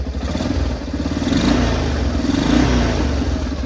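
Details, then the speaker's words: Yamaha Big Bear 350 ATV, sat all summer with ethanol fuel and last ran poorly, now revived after a simple fix: single-cylinder thump picks up cleanly and evenly through blips, no misfire, rattle or smoke; running normally. "lo and behold it's got a simple issue and it runs pretty"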